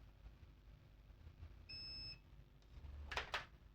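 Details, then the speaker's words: Acer Aspire 3 315-32 laptop motherboard, multimeter continuity test after replacing one capacitor: one clean high beep of about half a second, reading 0. The main power rail is still shorted to ground; more than one fault is suspected. "let's check here let's check here on this capacitors where we replaced one 0 0 we still have a short here zero year 0 0"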